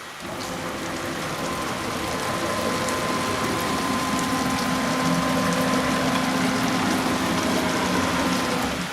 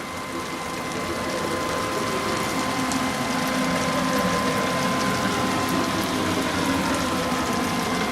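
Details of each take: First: Onefinity Gen 2 Journeyman CNC jogging at Fast speed, squared and oiled per maintenance guide: steady high stepper whine, faint hiss, light tinging from the ball screws; owner calls stepper and ball screw sounds 100% acceptable, normal running. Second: Onefinity Gen 2 Journeyman CNC: a steady high whine with faint ticking about four times a second as the gantry travels along the axis. Bearing noise is suspected, not confirmed.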